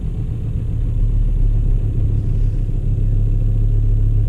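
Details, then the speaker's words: VW Touareg 7L 2.5 TDI R5 diesel after glow plug replacement: started instantly, no smoke, steady even five-cylinder idle with no misses, knocks or hunting; normal healthy diesel idle. "started instantly I can hear the engine I don't see any smoke at all oh my god oh my god this was a great success"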